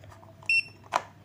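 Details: Hilda 12-line laser level on tripod while adjusting the legs to centre the bubble vial: one short high electronic beep then a handling clack, the tilt alarm saying it isn't level yet.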